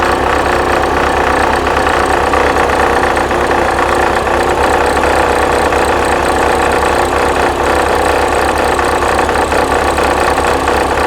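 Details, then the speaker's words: 1979 VW Super Beetle, fuel-injected, idling: loud rough continuous throb from belt end; generator vibrates and is very hot, belt overtight, pulley spun on its keyway, worn generator pulley. "I can feel the vibration yeah I can feel the vibration in the Gen set not to mention it's super freaking warm we have a problem with the Jin sure freaking do"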